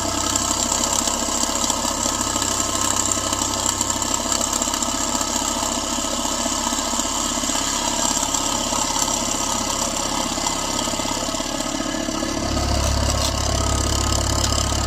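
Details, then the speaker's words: Proxxon mini scroll saw with heavy-gauge blade after loosening over-tight blade tension: steady, even reciprocating buzz holding pace through the cut, no stalling or chatter; cutting smoothly. "There we go. See how it's getting smoother and smoother? Okay, that sounds good to me."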